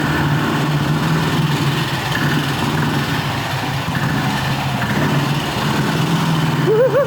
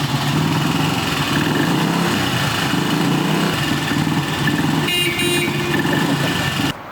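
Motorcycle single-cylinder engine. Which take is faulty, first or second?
first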